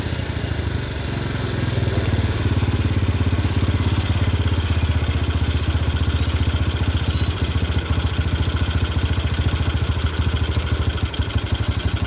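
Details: Yamaha Jupiter Burhan with a Honda Grand carburetor replacing the original, air screw at 3.5 turns: small single picks up from low idle to a steady, firm drone with even firing and no stumbles when throttled; carburetor responding cleanly.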